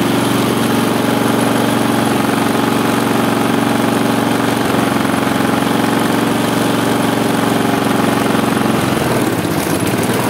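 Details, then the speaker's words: Husqvarna J55S mower with a Briggs & Stratton 650 engine that had broken down: steady drone that falters near the end, with vibration. Running is unstable; the air filter is to be replaced. "To nie jest żadna śruba regulacyjna Oczywiście że nie to jest tutaj śruba od filtra powietrza kosiarka mimo to i tak ma wibracje"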